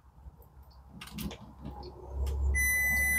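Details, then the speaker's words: 1967 Travco 220 RV with big block Chrysler, parked since 1988, key on in a quiet cab: steady high-pitched tester beep confirms voltage is reaching the ignition coil. "got power to the coil okay hang on a second turn the key off off all right well we got power good"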